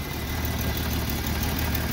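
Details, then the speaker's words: Free Jeep, compression earlier about 75 except the last two: warm idle chugs and stumbles with the speed wandering, no codes; rough idle, cause unclear. "water is steadily increasing so as you can see it's just kind of running like weird at idle"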